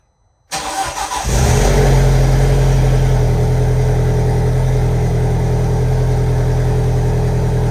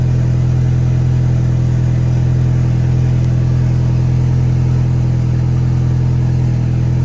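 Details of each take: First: VW 1.8T engine first start after rebuild, turbo oil line still unplugged: catches quickly, settles into loud idle with slightly lumpy, uneven misfire-like beat, smoke burning off exhaust. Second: 1.8T at first start after cam timing was reset to 16 rollers between marks: perfect, even idle with no misfire and only a tiny noise; some leftover oil smoke is burning off.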